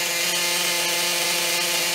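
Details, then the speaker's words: Maxy's Cinco 2.0 nitro RC engine during break-in on break-in fuel: steady, even high-pitched buzz with no stumbling or surging; idling cleanly. "she's starting to idle like nothing no problem"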